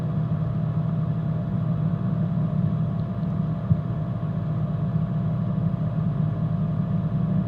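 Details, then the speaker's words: Coleman mobile home furnace after clearing a spider web from the burner orifice: steady, even low burner roar with no popping or dropout; flame lights and holds, normal. "now you see the flame and whatever was in there is gone cool and now we should get some heat pumping out of this thing"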